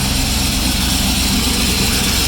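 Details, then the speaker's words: Turbo IROC V8 after rebuild (new rotating assembly, slightly raised compression), idling with blow-off valve left unhooked: steady rumbling idle with loud continuous hiss of air sucked through the open valve, a giant vacuum leak. "Like a giant vacuum leak is what that is."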